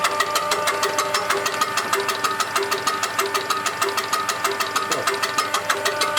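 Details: Diesel engine with a UTN-4 injection pump, tested after pump repair and adjustment. Smooth, even beat at a steady idle with regular firing pulses and no knock or miss; running healthy.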